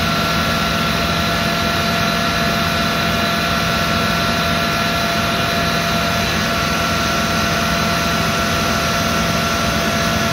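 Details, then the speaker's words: Land Rover Discovery 2 rebuilt 4.0L Rover V8, first start after rebuild: engine running with steady high whine that doesn't settle from the power steering pump, rebuilt with new gasket but fluid too low; power steering pump noise from air in system. "well there it is it's run there was a horrendous sign you i'm sure you heard it and you could see me looking down in that direction that was the power steering pump"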